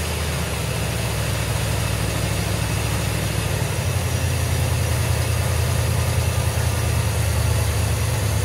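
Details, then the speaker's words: 1981 Chevrolet Corvette Turbo stored over 30 years, first start using petrol poured in: rough, lumpy V8 idle with a deep rumble and uneven pulses, settling slightly; smoking hard, possibly from debris on the exhaust. "good she fired up okay guys you're fired huh"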